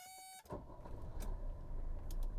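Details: Old turbo diesel, started after waiting for the glow light to go off: short annoying buzz first, then the engine catches at once and settles into a steady, even diesel idle; normal start.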